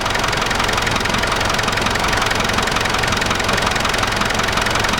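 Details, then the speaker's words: Land Rover Discovery diesel idling and revved, heard through a screwdriver held on the alternator: loud, busy mechanical whine, worse for weeks and first suspected to be the water pump; noise traced to the alternator, which still charges and needs to come off. "that's noisy yeah it's the alterator the noise is really loud from Up so it looks like the noise is coming from the alternator so we need to take the alternator off the car"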